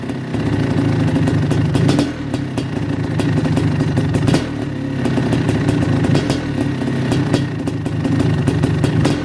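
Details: Kawasaki KX500 two-stroke, first start after top-end rebuild with new Wossner piston, MPS power valves and Cometic gaskets: crisp, rapid crackle with sharp blips, clean even firing; the fresh top end sounds healthy.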